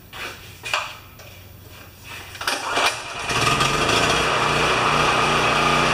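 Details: Champion 3000 W generator, brought in as a non-starter, restarted after service with a disliked choke adapter; tested good days earlier, likely low hours since last tune-up. A few starter pulls, then it catches and settles into a steady, even run with no misses or knocks; normal running.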